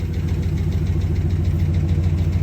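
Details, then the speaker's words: 2009 Dodge Ram Sport 5.7 Hemi after a fuel pump replacement fixed a no-start, idling with no leaks seen: a steady, even V8 rumble with a smooth pulse and nothing knocking or tapping. Normal idle. "That should sound good. Sure ain't no leaks. I don't see no leaks so far."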